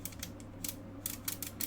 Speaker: And then you can hear it clicking. Yep. And the clicking mechanism is like a ball bearing in slots on the plastic.